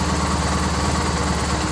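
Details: Triumph Bonneville twin after replacing failed regulator that stopped battery charging: steady, even idle with a smooth low throb, no knocks or misses; runs cleanly, charging 13.9 V at idle.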